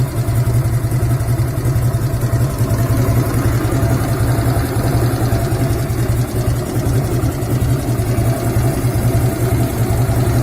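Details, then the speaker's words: 1997 Harley-Davidson Road King Classic Evo V-twin after rebuild: uneven loping idle with metallic clatter near camshaft area, appears after 5–7 minutes warm-up and grows louder when hot; present at idle. "я завел мотоцикл начал на нем ездить у меня появился какой-то бряк"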